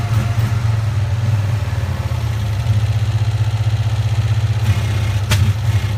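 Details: 1965 Cushman Truckster after sitting over a year: heavy, uneven low thump about four beats a second that never smooths or picks up; rough running, owner blames a stuck choke valve.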